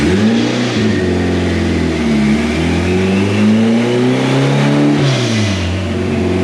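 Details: AWD turbo Integra doing warmed-up dyno pulls: the engine revs hard under load with a flat, steady drone and no sharp change in tone as revs climb. The power graph looks poor.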